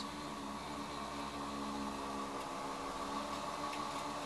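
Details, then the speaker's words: Astable-circuit-driven electric motor, speed control working: steady hum with faint uneven warble; some unexplained irregularity, cause unknown. "You can hear it. There's a little bit of funniness going on there. I don't know what that is."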